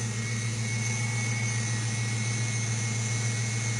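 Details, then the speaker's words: 5.0L Mustang with EEC-IV TFI ignition module, at the moment idling smoothly with an even low hum and no stumble, miss or surge. Tapping the module makes it act up, and the car intermittently stalls. "there's your waveforms cars running beautifully at the moment and I'm just gonna give her a little tap"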